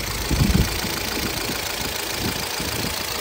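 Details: 2012 Chevrolet Cruze LTZ, 229,000 km: irregular dull knocks through a lumpy idle, loudest early; said to knock more when revved; a replacement cylinder head did not cure it; engine to be opened, cause unconfirmed.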